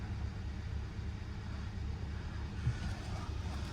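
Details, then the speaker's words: Hyundai at Copart auction yard, almost 90-degree day, just started: steady, even low idle with no knocks, misses or ticks; engine very smooth, normal idle; airbag, ABS and traction lights on. "System check is looking good. Started right up. Engine feels very smooth."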